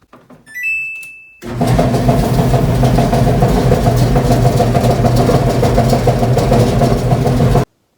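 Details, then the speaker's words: Loud steady rumbling drone with a low hum underneath once the drum turns on a 10-year-old Samsung DV45H7000EW dryer; owner suspects one or two worn drum support rollers. "I noticed last week it was developing a loud noise when it was running"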